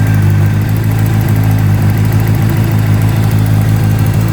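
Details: 2009 Honda CBR600RR idling with a quick, faint metal-to-metal ticking from an exhaust header leak.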